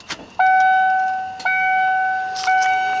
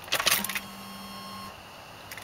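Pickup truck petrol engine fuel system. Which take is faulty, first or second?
first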